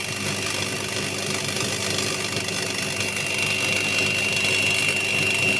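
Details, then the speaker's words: Candy washing machine showing error E08 (motor rotation or tachometer fault), back panel off, mic close to the motor, empty drum with no load: steady hissing crackle over an even motor hum; worn motor carbon brushes sparking. "Et là je vais me rapprocher un petit peu et je pense qu'on va bien entendre les étincelles des charbons. En tout cas, il y a un bruit anormal dans le moteur."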